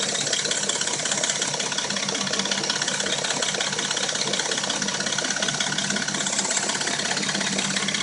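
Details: Dodge Intrepid at warm idle: a fast, steady metallic chatter, roughly three ticks a second; the rattle and a knock occur only when warm and it sounds new when cold; timing chain suspected, not confirmed.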